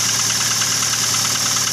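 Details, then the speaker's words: Toyota Avanza at idle: fast, light metallic chatter from the front of the engine, steady with revs, rough sound; worn timing chain needs replacing; timing chain rattle. "yo yah ene Avanza suaranya kasar harus ganti timing chain ya Tower lantai complete coba dunia gede biar pada tahu suarane kayak apa di depan ini suara neng kene Ki wes ini harus ganti mncn atau rantai kamprat ya"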